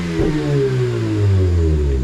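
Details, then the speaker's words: Mazda RX8 rotary, after basic service, warm at about 70°C before compression test: smooth clean revs rising and falling, no misses or rattles; seems to rev quicker, possibly from the plugs, unsure. "does sound good. I think it's revving a little bit quicker, which could be the plugs, I'm not really sure."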